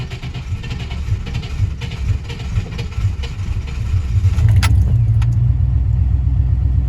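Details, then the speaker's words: Old Chevy truck on its first start in about six months, after a fresh battery went in and the cab got soaked overnight. Uneven starter cranking for about four seconds, then the engine catches and settles into a steady low rumble: fired right up. "on look at that go first time and like six months she runs just mint fired right up"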